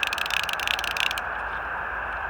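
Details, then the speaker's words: Old caged-clicker fly reel: rapid dry rasping clicks for about a second then stops; the dry drag makes this noise and needs dipping in water to lubricate. "I got to dip it in water to lube up the drag so it doesn't make that noise."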